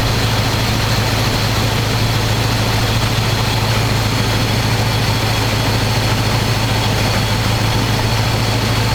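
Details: 1985 square-body 454 big block, 4-speed, sat 20 years, oil and filter changed; after adjusting idle screw that wasn't touching throttle, warm engine idles smooth: loud steady even low rumble through open pipes, no misses, knocks or hunting. Normal idle.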